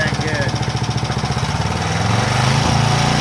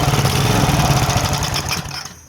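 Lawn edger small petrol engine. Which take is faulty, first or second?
second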